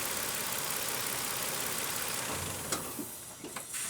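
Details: 2007 Nissan Frontier after dealer replaced camshaft chain, tensioner face, O-ring seals and front crankshaft oil seal to cure an engine whine: smooth even running hiss with no whine before shutting off; sounds healthy.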